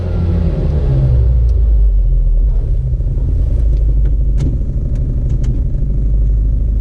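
Low, rough two-stroke rumble settling from revs into an irregular, lumpy beat with odd ticks; abnormal, source unknown.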